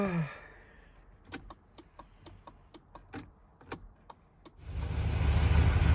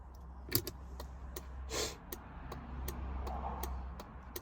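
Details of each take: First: 1978 Mercedes R107 350SL, indicators tested after the hazard relay was confirmed working: the right-side relay clicks quickly and evenly, about three a second, faster than normal, because the front right bulb is gone. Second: 1978 Mercedes R107 350SL early-model (1978–81) hazard relay working: crisp, evenly spaced clicks about three per second over a low hum, bulb flashing and cluster lights lighting; normal hazard relay clicking.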